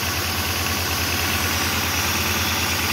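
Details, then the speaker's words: 2008 Pontiac Grand Prix 3.8L V6, 148k miles, very rough idle thumping unevenly about three times a second; P0300 with cylinders 5 and 2 misfiring, which share a coil pack; no spark from cylinder 5, coil pack suspected. "miles very rough idle I don't know if you can hear that got serious misfire"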